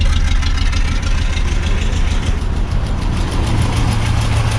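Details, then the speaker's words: Land Rover Series 3 Lightweight, cold start, distributor, rotor arm and cap unchanged: uneven stumbling lumpy idle; pulling lead 4 no change, lead 3 slight change, lead 1 nearly stalls; misfire, owner wonders about timing, cause unfound. "if I get hold of lead number four pull it off it doesn't make a difference to the running you can hear it sparking if I pull off number three that makes a very slight difference but not a lot of number one you can hear instantly it wants to die"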